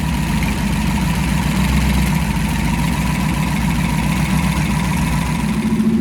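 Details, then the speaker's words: First fire-up of freshly swapped 335hp supercharged Ardun flathead V8 in 1932 Ford Roadster, magneto ignition, after cranking to oil pressure: deep steady even rumble at slightly raised idle, no knocks or misses; normal running, though an AN oil fitting leaks. "we cranked it over until I had oil pressure hit the mag and we fire it up right away"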